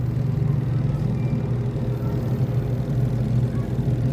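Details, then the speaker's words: Spin dryer of a washing machine after replacing three loose springs that caused knocking: steady low hum turning evenly, with no knocking or thumping; smooth spin after the repair. "na yan guys tapos pag bubuksan hinto na siya o hino na siya agad hino na siya agad e sarado an pa yan aar Yan ba bilis yan dryer yan eh spin dryer"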